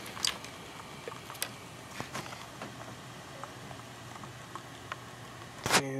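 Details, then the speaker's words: Sans Digital MobileRAID MR2UT+B enclosure running with its fan disconnected and top off: a quiet, steady low hum with faint light ticks from two hard drives spinning normally. "uh so there is noise but that's just the two different drives sort of spinning and running"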